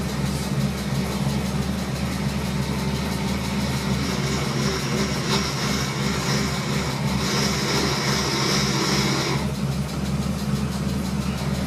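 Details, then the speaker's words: BMW E30 with M52B30 engine on ITBs and hydroboost brakes, idling after pressure regulator replacement: high-pitched whine comes and goes as steering worked; owner suspects air bubble sticking flow control valve, keeps loading accumulator, bleeding by alternating brake and steering; intermittent power steering whine. "And when I press the brake, the valve gets stuck, and it just keeps loading the pressure accumulator. But when I turn the steering wheel, it will release the air bubble."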